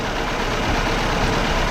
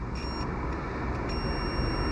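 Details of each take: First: Fiat Panda 4x4 1.2 8V petrol idling with air conditioning on: after reseating a poorly connected earth wire, the electric radiator cooling fan switches on with a steady rushing whoosh over a smooth idle; fan now running normally. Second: Fiat Panda 4x4 1.2 8V radiator fan wiring continuity test, beep only when earthed to the post, not the body; thin high beep cuts in, drops out, then holds over hum; marginal connection needing exact placement.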